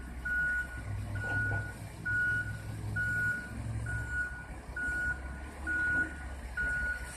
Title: Emma Wilson Elementary - daily waste hauler loud noise - Chico noise problem 07312018